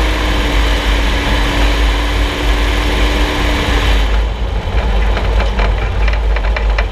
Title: Suspension Noise 6Nov16 [loud]